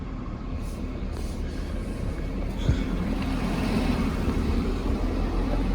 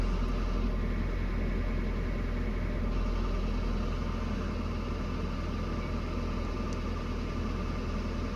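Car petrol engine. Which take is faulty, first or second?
second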